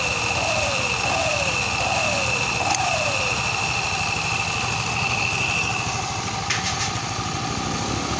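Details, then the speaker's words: Mio MXI 125 after connecting rod replacement, cover off: even, buzzy idle with a faint steady whine and no knocking or tapping; normal idle. "ito mga kaidiyas, goods na."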